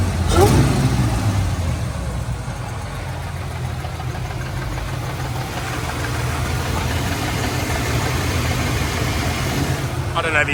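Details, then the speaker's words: Holden Commodore V6 (L67) drift car at the track: rough, lumpy idle with an uneven low pulse and faint rattle or knock, running on five cylinders; owner thinks the engine is finished. "Well, Everything for the most part has been going well except I now have a 5cylinder V6 Commodore. So, as you can tell, it's running like absolute snot."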